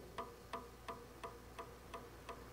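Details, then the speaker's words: 250mm high-rpm PC fan installed as camping trailer (Airstream) vent, speed turned down so the fan stops, giving crisp evenly spaced ticks about three per second over quiet hiss; structural cause suspected, not confirmed. "이런 소리가 나요. 아, 이게 너무 마음에 안 들어. 구조적인 것 같아요. 그래서 생각보다 좀 소음이 있어요."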